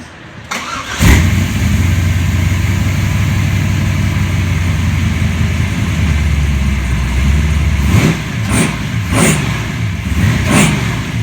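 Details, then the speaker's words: Chevelle V8 rated at 700 horsepower, just after the timing was set and the oil changed: catches fast after a short crank, settles to a deep lumpy idle, then takes a few crisp blips cleanly; normal start and rev. "So there you have it. 700 horsepower, ready to go."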